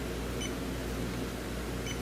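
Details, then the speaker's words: 2013 Hyundai Elantra AC leak hunt, R134a system: after a puff of air clears the valve, the warmed-up sniffer gives only a few slow chirps over fan hiss, no longer alarming; no leak detected at the valve. "That certainly isn't alarming like it was."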